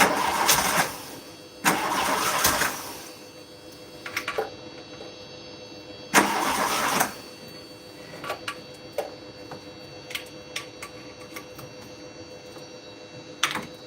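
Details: Car with spark that doesn't look great, cranking in three short bursts with faint stumbles as if firing, but never picks up and runs; crank, no start.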